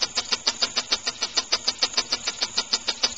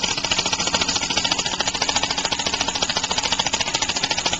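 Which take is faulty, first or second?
second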